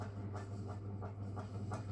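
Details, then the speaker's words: Antique Indola PVB 90 cm ceiling fan running: a steady low motor hum with a soft rhythmic scraping swish about three times a second from a dry bearing that still needs oiling; the metal body also vibrates. "you can hear the bearing I will get around to oiling it I just don't know when cuz I have to pull it apart"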